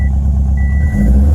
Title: 2007 STI Crazy Idle. Misfire on all 4(2)